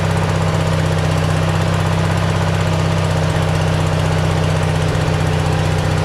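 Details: Simplicity tractor fitted with a cheap Chinese replacement carburetor: the single-cylinder engine holds a fast, steady idle with an even thud around four beats a second. Idle is set too high; the cause is suspected, not confirmed.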